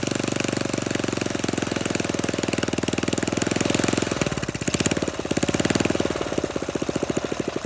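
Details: Flathead Briggs minibike engine, open pipe, just started with throttle held open: fast but lumpy beat stumbling and surging in spots; rough uneven running, owner suspects carburetor mixture screw, not confirmed.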